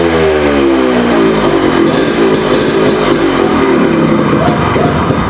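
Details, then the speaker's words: Yamaha RX100 two-stroke after an exhaust leak fix with the cylinder reinstalled: revs climb and fall cleanly with no misses or knocks, running smoothly. The exhaust is slightly raspy because there is no carbon in it yet. "it's running as smooth as it used to be the exhaust note is little raspy right now because there is no carbon in that"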